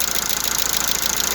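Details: Lada Largus at 432,000 km, hot idle, oil pressure light lit and oil pressure sensor sweating: a quick, even, light ticking without letup. Hydraulic lifter knock; the owner is changing the filter and switching to thicker oil.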